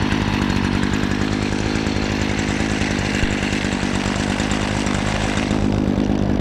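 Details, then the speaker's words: 2017 Stihl FS56 RC 27cc two-stroke string trimmer with easy-start system, choked and primed, starts right up: steady high idle buzz, clean and even with no misses or stumbles; running normally. "FS56 RC starts right up. Uh-huh. Awesome."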